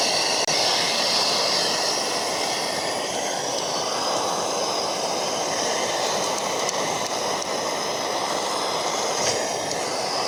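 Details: MSR Dragonfly liquid-fuel stove, owned a few years, flaring hard during priming: steady loud hissing roar with no rhythm. Cause unclear, maybe too much priming fuel; owner thinks it needs a service.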